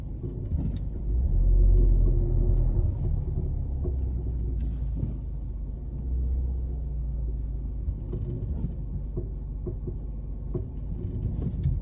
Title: Car clunking noise. #mechanic #car #suspension #annoying #garage